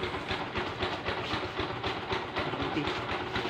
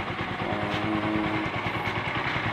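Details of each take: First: Kawasaki Bajaj Rouser LS135 idling before repair: fast, loose metallic rattle about two per second over the single-cylinder beat; weak cam chain tensioner spring push, fixed using parts from an old tensioner. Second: Kawasaki Bajaj Rouser LS135 idling after cam chain tensioner repair (cover refitted, 8mm bolt): even single-cylinder idle, soft putter, no chain rattle; running normally.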